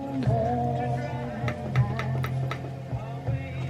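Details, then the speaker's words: MGA M-U2200 vintage 110 W integrated stereo amplifier playing bass-heavy music with irregular sharp crackles and pops, suspected dirty slider controls needing contact cleaner. "So hear that crackling. Probably need to spray these out with some cleaner."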